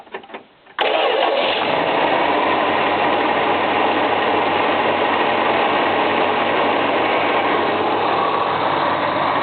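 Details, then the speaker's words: 1977 Dodge Aspen wagon with a swapped-in 318 from a '73 Dart, about 93,000 miles, started cold on the automatic choke. It catches after a short crank and settles into a loud, slightly uneven fast idle running rich; owner suspects a cylinder not firing. "It's a bit cold right now, so the automatic choke is getting a lot of petrol, but see if you can rev it."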